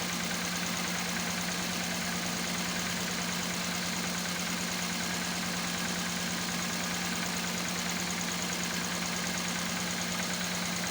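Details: Toyota Corolla EFI petrol engine with misfiring issue, idling with a steady drone and faint uneven stumble about three beats a second.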